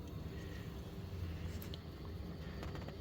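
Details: Hot water cylinder quiet after fix: low steady hum with no rushing or gurgling; earlier noise came from fast primary-coil flow, cured by partly closing the valve to slow flow.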